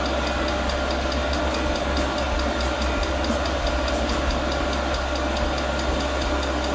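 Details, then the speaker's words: Newly mounted portable all-in-one diesel air heater, first start at maximum power: steady fan rush with faint regular fuel pump ticking, but no burner roar. The first ignition fails; the glow plug relights, then a shutdown cycle runs with white smoke outside. "Ok, prima accensione non è andata a buon fine."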